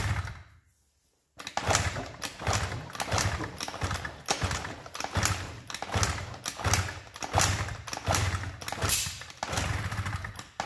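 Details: Honda Dio 34 scooter that would not start, now repaired: after a short silence it fires and runs with a buzzy two-stroke note that swells and eases about every second as the throttle is blipped. Normal running.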